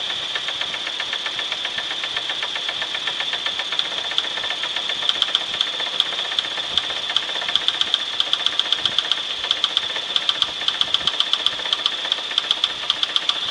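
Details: 1996 Chevrolet S10 4x2, 2.2L I4 MPI, 146,300 miles, running: sharp metallic ticking knock about two to three per second over steady engine; knock, cause unknown, engine for sale for parts.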